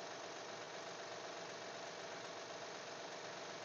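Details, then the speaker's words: 2012 Honda Pilot at idle after sitting two weeks, serpentine belt pulleys already checked: light quick ticking about two per second over a smooth hum; owner suspects the timing belt tensioner, not confirmed. "and again I have a timing belt kit I need to get the belt put on it may be the tensioner you know what it may be the tensioner on the timing belt"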